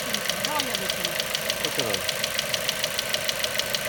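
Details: Ford Mondeo 4 2.0 Duratec HE, 89,000 km, LPG fitted at 70,000 km; crisp regular tapping about three per second over idle, disappears at 7000 rpm; not valves or swirl flaps, owner suspects petrol injectors: engine knock at idle.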